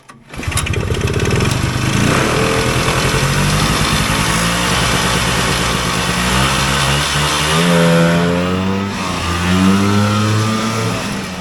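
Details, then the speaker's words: Vintage single-cylinder two-stroke Polaris Colt race snowmobile, rejetted from 360 to 170 main, pilot 50 to 35, needle dropped one: blubbers unevenly at high revs, not clearing cleanly; still too rich. "we backed his mainjet down to the smallest size that I have it seems like it needs to go smaller"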